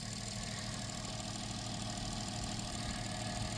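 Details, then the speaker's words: 2000 Chrysler Grand Voyager SE, revived after 8 years parked, warming up at idle: steady even smooth low hum, no knocks or misses; normal warm idle. "Motor sounds pretty good, though. Starting to warm up again."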